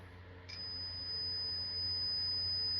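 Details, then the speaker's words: Early Bally solid-state pinball sound board being repaired, probing U5 pin 12: clean, steady high tone starts after half a second and holds without wavering; chip output presumed good. "listen to it yeah you can hear it singing at sunk so this one I'm assuming is good"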